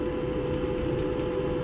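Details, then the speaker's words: Maytag Bravos high-capacity electric dryer running after repair: an even, steady hum with no squeak. The loud squeak was caused by a dry, ungreased idler pulley rubbing its metal bracket, which was cleaned rather than replaced. "go ahead and run it as you can see no more squeaking so that was just the issue the little pulley"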